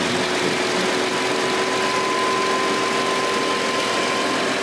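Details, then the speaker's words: Audi Q7 / Porsche Cayenne / VW Touareg with 8-speed automatic, fan override switch forcing the larger passenger-side radiator fan over the transmission cooler to max speed: steady whoosh over quiet idle, no rubbing or rattle; fan at full speed. "so what that does is it bols the fan onto Max Speed so and it's just I just chosen the larger fan on the passenger side that's the higher up to the TR hands cooler"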